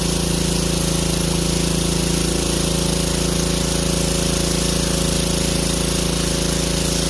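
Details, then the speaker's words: 150cc Power Stroke power washer that sat with bad gas, after carburetor cleaning, fired on first pull: small single-cylinder engine runs steady and even with a quick regular firing beat, no misses or surging; normal running. "so it fired up right on the first coal that's what we needed was the carburetor cleaned"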